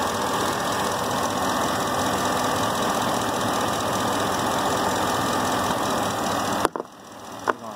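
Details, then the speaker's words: 2008 Chevy V8 at idle, just after motor flush was poured into the oil: a light fast tick of about four a second over a steady idle; slight top-end tick, cause not pinned down. "There you go. You can hear it ticking."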